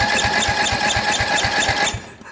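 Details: 1978 Yard-Man Snowbird snowblower with a 10 hp Briggs & Stratton engine made in 1977, fitted with new coils. Steady cranking thumps about four a second never catch and stop dead; cranks but won't start, and the spark tester shows no spark.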